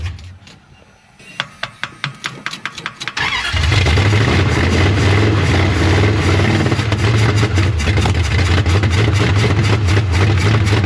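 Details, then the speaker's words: 1973 Dodge Charger 383 big block, long parked with ignition timing and overheating issues, started on a bottle-fed carburetor. The starter churns, then it fires into a heavy, lumpy, uneven rumble, partly from the choke being left closed. It runs on eight, but the carb is judged trash and the timing curve poor. ">> Is the choke open? >> It is now. Okay. >> It wasn't. >> That's part of it. [Music] No, this thing just not happy."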